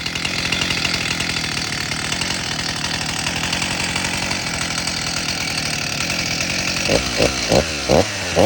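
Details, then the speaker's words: Stihl MS 361 Pro chainsaw (about 60cc) just rebuilt with new piston, cylinder, rings, gaskets, rebuilt carb, fuel filter and lines, low mixture screw turned up a quarter turn, no bar fitted: crisp steady high revs dropping to clean even idle, runs very well. "I didn't put a bar on it cuz I just want to break it in first before I use it but it runs really really well"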